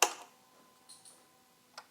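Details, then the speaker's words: 1999 Gen 1 Hayabusa, turns over but won't fire: sharp click at key-on, clocks tick through their check, but no fuel pump whirr from under the tank; pump not priming. "nothing it's a distinct woring sound that you should hear from under the tank nothing at all let's pull the tank up and have a look"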